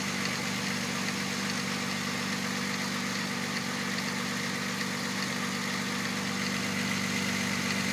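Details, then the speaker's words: 1997 VW Passat VR6 (AAA) with reportedly new timing chains and the serpentine belt removed. A smooth, even idle with a steady low hum and no chain rattle, only slightly lumpy; it needs ignition wires. Normal, healthy idle. "it's a little lumpy it needs a set of ignition wires but otherwise it's in uh good running condition"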